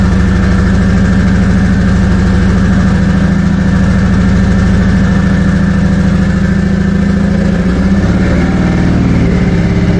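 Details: First start of a 2JZ engine project car: fast, fairly steady idle with a slight waver, sitting too high; owners suspect a vacuum leak or a sensor misreading, not confirmed.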